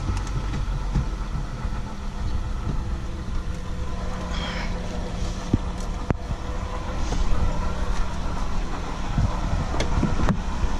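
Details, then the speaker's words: Kia Magentis petrol engine idling: low steady hum over the running noise from a dry, worn water pump bearing. The pump turns stiffly and leaks antifreeze; pump, belt and all rollers need replacing. "В общем автомобиль работает и издаёт вот такие вот звуки в общем звук этот идёт самм уходит восьмёркой в общем помпа под замену"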